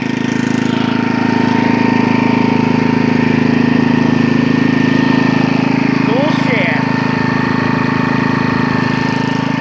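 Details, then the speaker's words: 1983 Briggs & Stratton 8hp Sno-Gard 318.5cc engine, model 190492, rebuilt fuel system, after cold start: even steady single-cylinder beat with no misses or popping; running smooth and healthy. "being run so smooth none of that - comes up popping that was a cold start by the way"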